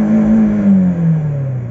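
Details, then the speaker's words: Peugeot Partner with 1.6 16-valve TU5JP4 110 hp petrol engine, 70,000 km on 100% E85 ethanol without modifications: engine drops smoothly from high revs, clean and steady with no misses or knocks; slight power loss only; normal revving. "il prend bien ces tours donc c'est pour ça sur ce petit moteur c'est vrai que je suis relativement impressionné parce que il supporte très bien l'éthanol"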